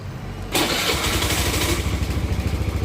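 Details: Honda Scoopy i scooter with a failed fuel pump: the engine catches, then surges and sags unevenly with a lumpy pulsing beat when throttled. The fuel pump motor is being replaced.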